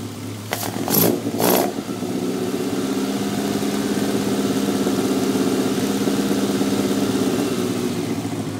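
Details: Toyota 3S-GE Beams engine: after a few sharp starts it settles into an uneven idle with an irregular stumble in its beat; misfire, cause unknown.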